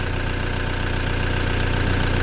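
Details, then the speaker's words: Toyota Fortuner diesel that had no dash or speedometer lights; after cleaning the battery terminals it runs at a steady, even idle with a smooth low rumble and light diesel clatter, normal. "kita bersihin kepala akinya. Nah, di sini kepala akinya udah kita bersihin, beres, alhamdulillah udah hidup."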